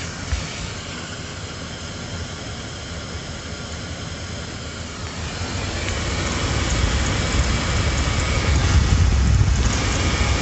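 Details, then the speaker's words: Engine idling after its battery was charged about 10 minutes and boosted to start; alternator now charging at about 14.5 V: steady low even hum with no misses, slight rise later. "after about 10 minutes of charging this battery and then boosting it it started this engine and now it is being charged at 14 and a half 14 slightly over that from the alternator"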